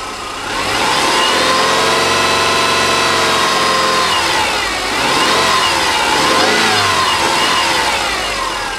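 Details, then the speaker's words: Rebuilt EJ25 SOHC 2.5L Subaru flat-four from a 2005 Outback, which before the rebuild knocked only when revved: revs up and falls back smoothly with a clean, even note and no knock. "all right not too bad huh sounded pretty good to me I'm still Hing into River really high but uh definitely no knocking issues"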